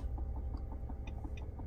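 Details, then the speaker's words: 2015 Nissan Rogue with no heat/AC and no blower at any speed; blower motor suspected. Quiet, regular light ticking, about four or five per second, behind the dash with the blower silent; a bad mode or blend door actuator suspected. "all right let's turn this up we got nothing but I'm hearing some kind of ticking that sounds like one of the mode doors or blend doors are bad the modules"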